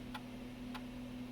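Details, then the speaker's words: Macintosh PowerBook 165C floppy drive after reseating its cable flat (was at an angle): crisp ticks evenly every 0.6 s over faint hum, stepping cleanly through formatting a disk; normal. "let's put the disc in will it format hey that's a better sign all right yeah that's a lot better"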